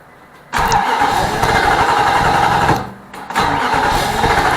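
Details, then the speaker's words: 2006 Nissan Armada 5.6 V8 after an engine swap, cold: two bursts of steady starter cranking at about four turns a second with no firing. Fuel pressure is present; the crank-no-start traces to a failed crankshaft position sensor. "It hits off, but it won't crank up all the way, so almost like this thing's got a cam sensor on it. I mean a crank sensor."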